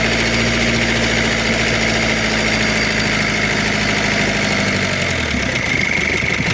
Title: شريت هذا المحرك لسيارتي وجدت فيه صوت خشن او مرتفع.bruit moteur diesel - لا يصلح رجعه للبياع شوف غيرة